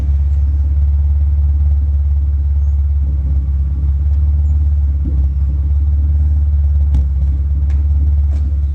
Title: Misfire at idle